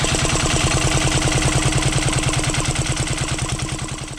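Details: 12HP air-cooled single-cylinder diesel, test-run after overhaul; it had been hard to turn over and ran only once. Owner suspected a bad piston. Rocker arm and valve clearance were reset. Even thump, a few beats per second, no knock, then easing down: normal running.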